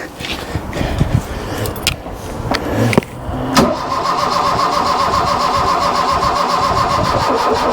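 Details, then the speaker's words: Mk1 Ford Fiesta Ghia 1.1 barn find, choke on, jump pack connected: clunks from key and choke, then even-rhythm starter spin, never catches. Cranking no-start; they suspect the starter motor, which only cranks about 10 seconds, not the battery. "that's the starter motor I believe cuz it only it only lets you crank for like 10 seconds and then doors of death but I don't think it's a battery cuz of well we've got the jump pack on as well"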